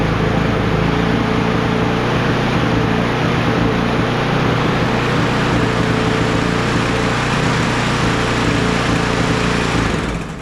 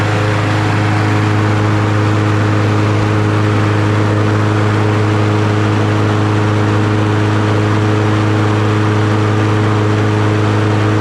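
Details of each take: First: Crusty Troy-Bilt TB110 push mower with a Briggs & Stratton 550EX engine and a burnt-looking hole in the gas tank, first start: a steady high-pitched buzzy run with no load dip, like it has no blade. Engine overspeed; cause not confirmed. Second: Troy-Bilt TB110 push mower with a Briggs & Stratton 550EX, after an oil change, new plug and blade, replaced leaking fuel tank and cleaned carburetor. Steady, even drone at about 3100 rpm with no misses; it sounds much better.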